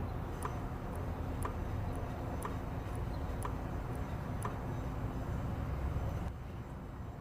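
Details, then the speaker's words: Kia Venga 1.4 CRDI with an intermittent engine light; a scan pointed to an air flow fault. EGR valve activated, with the phone mic facing it. Soft, light clicks about once a second over a low rumble, weaker than expected; the valve works electrically, the cause is not yet confirmed. "okay and it stopped i'm gonna try to increase the volume during the clicking but to be fair with you guys you can barely hear it i was definitely expecting a bigger click i would say"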